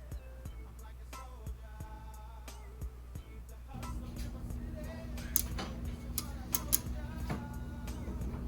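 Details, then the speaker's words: 6.0 LQ4 V8 with 706 heads on an engine stand, powered up via the C1 connector before first start: a run of sharp, uneven relay clicks, then a steady hum. Normal relay clicking at power-up. "the relays clicking on and off. So that's all we gotta do."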